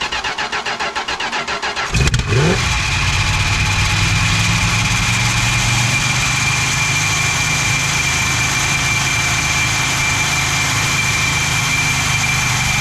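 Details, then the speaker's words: 1974 Chrysler New Yorker 440 big-block V8 being revived, possibly flooded earlier: cranks about two seconds, then catches into a loud, steady, high-revving run. It only keeps running with the throttle held wide open, and the carburetor is judged no good. Cause suspected, not confirmed. "Yeah, that, The carb is no good, right? Like it's, I gotta hold it wide open to get it to catch."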